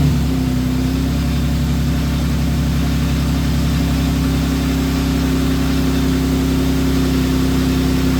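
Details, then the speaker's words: Infiniti G37x AWD after replacing a starter that had been cranking very slowly despite a good battery: the engine catches almost instantly and settles into a smooth, steady idle; a normal start. "As you see, it worked. I knew it was the starter. Look, it just started right up. You see that? That's how it really supposed to start."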